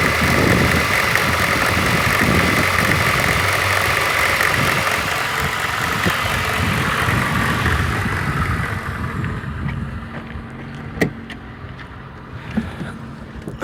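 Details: VAZ 2114 1.5 8-valve, cold start: fast, fairly regular light crackling tick from the cylinder head area at cold idle that disappears once the engine warms up; cause unknown.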